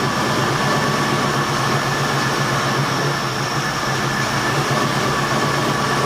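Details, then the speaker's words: 1972 Ford F100 after carburetor rebuild and new water pump, still burning oil; V8 runs with steady even roar, no misses or knocks, timing sounds spot on, idle needs adjusting up: smooth running. "okay so I just have to adjust the idle on it but man it sounds good it's smooth the timing actually sounds like it's pretty much SP on"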